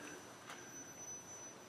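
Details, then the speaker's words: Gotway Msuper V3 electric unicycle just switched on indoors: thin, steady high-pitched whine, the commonly reported electronics whine; normal. "And I hear that whine that everyone talks about."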